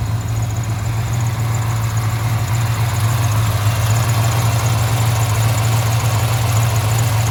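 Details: 1995 Impala SS with a Blueprint crate LT1 355 and LT4 Hot Cam, after most exhaust leaks were repaired, has a deep, loping V8 idle with steady cam lope and no ticks, puffs or leaks.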